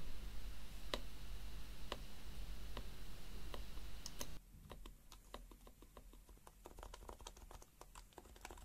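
Crisp, irregular key clicks in a quiet room, spacebar strokes sound clean and solid with no loose wire rattle behind them.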